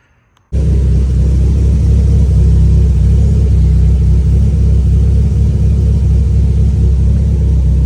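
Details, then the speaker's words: E85 turbo car at idle after the tune was adjusted for a slightly lean idle and a fuel line leak that had made it run rich: deep, steady exhaust rumble with an even beat, no misses or knocks; healthy idle. "just like that Jack fixed the tune it was just running a little lean at idle we had that adjusted"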